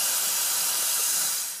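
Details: Ford 6.0 Powerstroke diesel, no start when hot, low injection pressure: stethoscope microphone at injector base picks up a steady sharp hiss that cuts off abruptly, a leaking injector seal blowing past.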